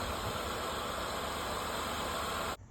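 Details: 2003 Mazda Tribute idling with a loud, dry, constant hiss-whir from the front accessories. The owner first suspected the tensioner, but the bearing noise is diagnosed as the AC compressor pulley bearing.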